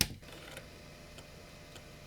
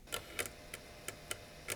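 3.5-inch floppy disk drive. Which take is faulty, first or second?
second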